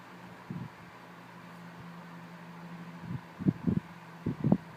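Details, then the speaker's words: 1980s Montgomery Ward (Tatung) 12-inch oscillating desk fan, model VTG48731, oiled after purchase, running on low. Steady low hum with a high-pitched motor whine and no rattle; normal running. "another thing I noticed that the motor in this fan makes a high-pitched whine that sounds very similar to the frigid that I used to have"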